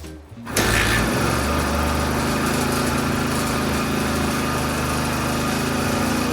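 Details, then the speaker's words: 1976 Suzuki GT380, three-cylinder two-stroke with engine and carbs previously rebuilt, started with cleaned plugs: ragged, lumpy idle on two cylinders; number 2 dead and cold while 1 and 3 are warm; blocked pilot jet in its carb. "Number 1's warm, number 2 is absolutely freezing cold, number 3 is warm as well."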